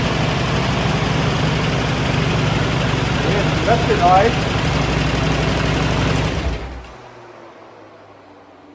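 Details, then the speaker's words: Swapped-in petrol engine from a buggy, running well with no misfire: smooth idle with a faint, regular light tick remaining before shutoff; the owner is unsure whether it is a lifter tick. "Runs really nice. There's no misfire. There's still a tick."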